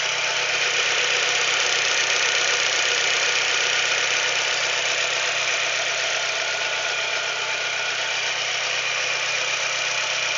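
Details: Chevrolet Celta engine at idle with a fast, even, sharp tapping about four a second; a knock from inside the engine, owner suspects the piston, cause not confirmed.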